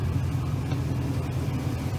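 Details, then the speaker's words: Lexus LX470 with a 4.7L 2UZ-FE V8 at about 323,000–327,000 miles. First start after timing belt job, new coolant (cap off to burp air) and oil change: low, smooth, even idle with no ticks, knocks or misses. "sounds beastly too holy moly awesome"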